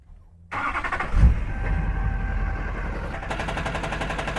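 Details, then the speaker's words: 2005 Duramax diesel with Allison 1000, 299K miles, in drive, neutral, reverse: starter whirr, catches, rough idle with light rhythmic knock from bellhousing; cracked flexplate. "That doesn't sound right. Okay, that's in drive, neutral, reverse. Yeah, that doesn't sound so good."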